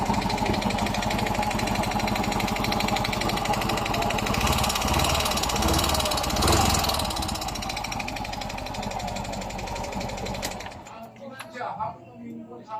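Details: Yamaha Mio i 125 scooter engine, problem began a few weeks ago: fast steady metallic ticking at idle, then shut off. Source unknown, cylinder head, block, connecting rod or rocker arm suspected; engine to be disassembled step by step.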